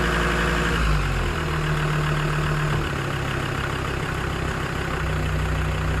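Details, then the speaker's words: Land Rover Discovery 2 TD5 diesel after fuel filter change, key cycled three times to prime, no leaks: engine fires promptly and settles to a steady, even idle with no stumble or hunting; healthy start and idle. "uh so i turned it i cycled the key three times fire up no bar happy days"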